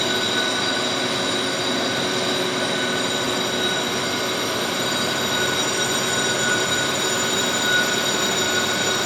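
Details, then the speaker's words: Lathe boring a pitted track adjuster cylinder, thin wall, tool hanging out 10.5 inches, 50 thou per side: steady high bell-like ringing over the cut. Finish not yet deteriorating; lathe chatter. "Taking 50 thousandths on a side here, and you can hear the bell is ringing, but I don't think it started deteriorating the finish yet."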